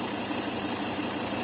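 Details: Ford Ranger 3.2 diesel pickup idling: steady light knock about six per second, mistaken for engine or intake leak; belt wetted and intake/turbo leaks fixed with no change, noise vanishes when pressing; loose shock absorber top nut.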